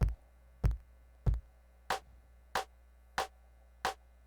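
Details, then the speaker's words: MPC sampler pad sample repeating about every 0.6 seconds, later hits carrying a sharp, bright extra pop on the attack, not how the sample should sound; owner plans to fix it with a PreSonus AudioBox USB 96 interface. "see how it's popping it's popping on this one hear that extra pop"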